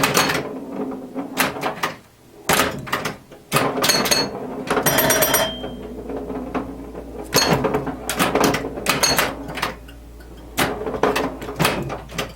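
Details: 1977 Williams pinball, the first solid-state machine Williams released and originally designed as electromechanical, playing after an electrical restoration with a repaired CPU board: bursts of solenoid thunks, chime tones and reel-like clicks, no dropouts or resets. Normal gameplay.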